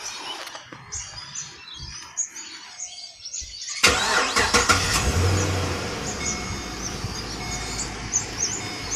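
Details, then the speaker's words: Holden Commodore VE SS V8 at 150,000 km, just after a routine change to spark plugs and NGK 8mm leads: the engine fires promptly and settles into a smooth, even idle with no rattle or misfire. "so we'll just hear it running for a second. You probably won't hear any difference the way it was before, but still, we'll have a look."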